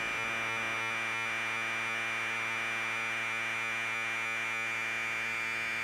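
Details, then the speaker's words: Commodore 1530/C2N datasette with head azimuth deliberately turned off axis: data tone comes through as a harsh, buzzy, distorted warble instead of a clean screech. Tape head azimuth misalignment. "i'm gonna go extreme so you can hear the difference that's definitely bad that sounds okay and that's getting bad again"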